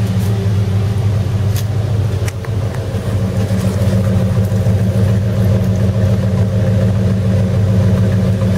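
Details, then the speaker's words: 1978 Ford LTD V8, now with better battery voltage after some adjustments, heard from the rear. Deep, steady, even idle burble with a firm exhaust rumble and no misses: normal idle. "Well, it's definitely running better now. I've had a little bit of a fiddle with everything. Sounds nicer. Even from the back it sounds more mean."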